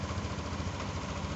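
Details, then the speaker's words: Yamaha Aerox 155 VVA smart-key scooter after ISC idle-control fix, restarted: steady even low putter holding a smooth idle without throttle; previously wouldn't idle and stalled unless throttled. Finding: normal idle. "Yes, the lamsam is back to normal, the motor is running, no need for GAS, the motor is back to normal, originally it couldn't slow down or the lamsam was low, yes, on this aerox motorbike"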